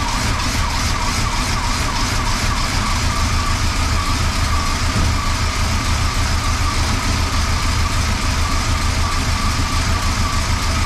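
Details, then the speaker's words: 1977 Chrysler Newport, 400 V8, cold start below freezing after sitting about two months with a weak battery: a loud, slightly uneven idle with a faint stumble and no misses or knocks. It runs rough; the owner suspects it needs plugs and wires, perhaps partly the spark control computer. "there we go and it's running a little rough let it idle for a little bit"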